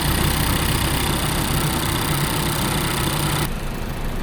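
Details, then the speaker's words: 2018 Mazda CX-5 idling after water pump replacement, during coolant bleeding: low, even idle rumble with no rattle or grinding, much quieter than before the repair; healthy idle. "when I turn on the car this engine is way quieter now man I'm just glad that it was just the water pump not the whole entire engine"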